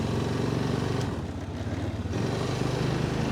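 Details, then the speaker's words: 2005 Honda Rincon 650 ATV at full throttle: low, uneven single-cylinder thumping that never builds revs, top speed about 15 mph; full choke makes no difference, badly down on power. "es off fairly good, but that's all we got for power. That's full throttle. So obviously something's not right here."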